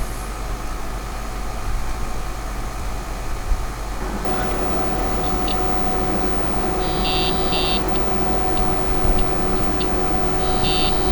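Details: Compaq Portable 2 reassembled after the GoTek mod, at power-on: fan and drive hum rise, then short high beeps. The speaker is working; normal power-on beep.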